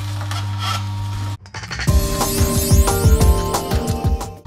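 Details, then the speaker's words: Juicer (cold-press juice extractor) pressing hard produce such as beetroot, alternated with soft produce; steady motor hum with uneven creaks and squeaks about three a second, normal for this extractor. "ne va pas de souci si vous entendez des bruits un petit peu de grincements comme ça certains aliments qui ne pense plus que d'autres la betterave par exemple même si vous mettez des tout petits bouts ça fait du bruit aussi donc voilà mais aucun souci avec ça"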